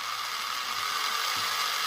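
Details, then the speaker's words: FLY Renault 5 Turbo slot car after grinding the gears in with toothpaste paste: smooth, even high-pitched whir with steady tone, no clatter or grinding; much quieter, normal running. "that's a lot better perfect that is much nicer than it was"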